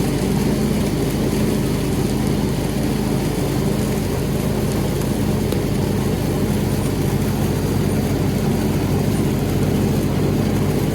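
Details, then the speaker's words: John Deere X340 mower, intermittent rough running and stalling after minutes despite rebuilt carburetor, new fuel pump, ECM, plugs, filter: uneven single-cylinder chug held running on choke at low throttle; cause unknown; stalling at low throttle. "And also showed something, that at the end I was basically using the choke to keep it from stalling."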